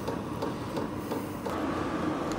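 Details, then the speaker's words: WIPPRO 8 kW diesel heater, brand new, first start a couple of minutes in with fuel pump and glow plug active: even fan whir building up over light regular ticking about every 0.4 seconds. Normal startup. "all right so now we're a couple minutes into this you can kind of hear really starting up you can really hear the fans kicking"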